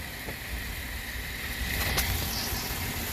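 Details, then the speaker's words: 2014 GMC Acadia 3.6L AWD idling, heard from underneath after repair: steady, smooth and quiet, with no ticking or puffing. This follows a repair of the rotted exhaust flange after the catalytic converter with a split flange, new gasket and reused stud. "It's not pretty, but it's quiet, right?"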